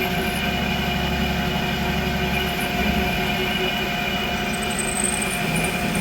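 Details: Creworks 8x16 lathe after carriage play adjustment, making a cut: even motor hum with steady gear whine and no chatter or knocking; runs smooth, more rigid than before.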